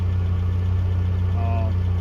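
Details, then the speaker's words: 1982 Toyota SR5 4x4 pickup after fixing crank-then-cut-off problem (carburetor rebuilt earlier; owner thinks emissions control computer box was the cause): low, even idle hum holding steady without sagging or stalling; sounds pretty good. "little bit down sounds pretty good at the moment"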